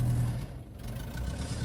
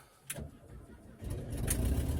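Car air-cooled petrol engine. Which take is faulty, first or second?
first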